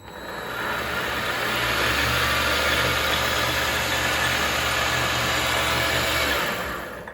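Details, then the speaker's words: Vevor MX400 mini lathe, no grease yet, after reinstalling the modified tension pulley: spins up to 1100 RPM (rated 1250) with a smooth, even whine and coasts down cleanly, no knocking or grinding. Normal. "but we did get up to 1100 RPMs this thing's supposed to go to 1250 but with you know with certain tensions and everything it can only go so fast"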